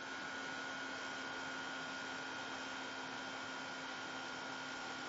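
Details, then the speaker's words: Imhotep SSG fan motor driven by a Darlington pair (TIP142) and a TIP31 transistor, with a magnet attached: faint, steady high-pitched whine over hiss as the circuit goes into self-oscillation and battery charging rises. "sounds like it's trying to self-oscillate now right there the charging is going up to beat the band it sounds like it went into self-oscillation"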